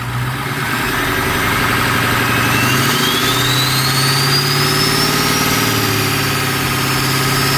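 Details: Strokestang (diesel-swapped Mustang) just fitted with a new turbo, first start: steady diesel idle with smooth low rumble and faint rising turbo whistle on light revs; new turbo sounds healthy, no rattles or knocks.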